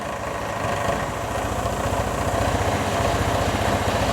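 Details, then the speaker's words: Vespa ET4 scooter after idle adjustment: small single-cylinder putters at a low, even idle, about four pulses a second, steady and unlabored, rear tire stationary; idle set right, normal idle. "right about there i think is a good one and then you want to make sure it returns to idle"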